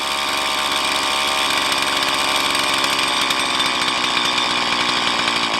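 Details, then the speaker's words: Stihl MS170 chainsaw with 16-inch bar, upgraded with Farmertec parts, idle about 3,500 rpm while adjusting low-speed mixture screw: revs climb then sag and burble off as screw is backed out; idle mixture too rich. "drop off, and we'll go a little leaner than that. And then we should have a good throttle response."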